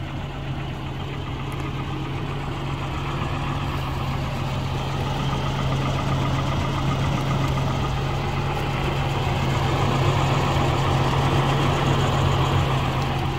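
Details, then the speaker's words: US-spec Volvo 740 Turbo Intercooler, B230FT engine, at idle: even, steady low idle with a deep constant roar from the very large viscous fan coupling; no knocks or misses, healthy engine. "Là on l'entend peut-être pas forcément bien, mais vous avez un très gros visco-coupleur, ça fait un peu un bruit de Scania on va dire."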